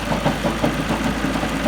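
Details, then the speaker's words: Ford Focus Mk2 at idle, flywheel suspected badly worn and egg-shaped, engine visibly vibrating: rough idle with fast uneven clattering rattle, several beats a second; clatter at idle, source unconfirmed. "Clattering, it must be egg shaped. That's what happens when the flywheels get so worn, they're like an egg. They put the whole engine out of balance."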